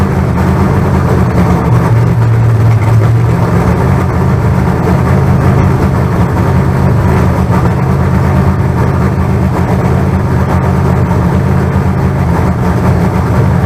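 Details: Freshly built carbureted 388 small-block Chevy (heads and intake from the owner's 406, crew-cab Chevelle) during break-in, throttle held: deep, steady V8 rumble at fast idle, even firing, no knocks or ticks; about 80 psi oil pressure, no leaks. Normal break-in.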